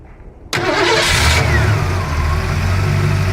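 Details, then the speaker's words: Ford LTD Crown Victoria converted to EDIS ignition with 1994 Lincoln Town Car ECU, tune unfinished: cranks, catches and settles to slightly uneven choppy idle because the ECU expects AODE transmission inputs and thinks it's in Drive. "the idols a little a little choppy right now because the 94 ECU is expecting inputs from a aode transmission which is what the 94 town car came with so it thinks it's in Drive right now"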